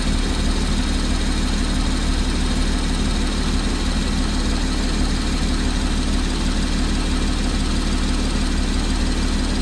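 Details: 2014 Porsche Cayman, 34k miles, at idle: steady idle with faint, fairly quick ticking in the engine note; source not yet identified.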